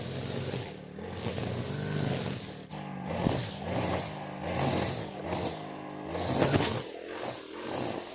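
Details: Honda GX35 brush cutter after a valve tappet clearance adjustment and clutch replacement that fixed a metallic ticking. The small four-stroke now runs with a steady buzz that swells with throttle and no top-end tapping. Normal running.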